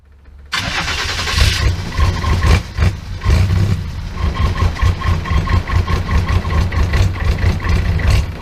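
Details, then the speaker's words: Diesel-swapped C3 Corvette after a TH350 transmission rebuild, running a little warm: quick crank, catches at once, settles into a steady, even diesel idle with a regular low thrum; normal start and idle. "Well, there you go, guys. Things still started right up and ran, even though, you know, she got a little warm. It wasn't too bad."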